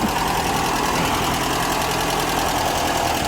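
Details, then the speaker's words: 1982/83 Ford Orion Mk1 1.6 Ghia with Weber carburettor, warm, bonnet open, electric fan running: steady, even tickover with no knocking or hunting; idles relatively well, possibly due a tune-up (mixture or distributor adjustment). "It's ticking over relatively well. If anything, I would say possibly a good tune-up."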